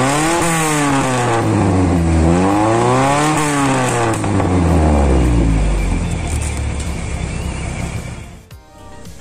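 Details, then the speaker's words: Ford Laser after replacing the broken exhaust's front resonator (middle one no longer functioning); two clean rev blips climb and fall to a deep, even idle, throaty bassier exhaust, no rattles or blowing; normal exhaust note. "guys jadi begini suaranya ya Eh sudah lumayan keraslah bagi saya karena saya tidak begitu suka yang terlalu Karya"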